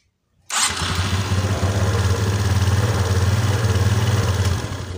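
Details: Motorcycle starter test: brief clean crank, engine fires right away and holds a steady even idle, no squeal or slipping from the starter; normal cranking and start.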